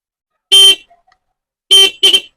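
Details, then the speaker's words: 12 V bike horn bench-tested on a 12 V 2 A charger before modifying it to increase the sound: three loud, clear honks, one long then two short, with a bright steady tone; the horn sounds strong and healthy. "आवाज़ ही बहुत ही अच्छा है दोस्तों। अभी इसे हम और बढ़ाएंगे और किस तरह हम इसे बढ़ाएंगे आप देखिएगा।"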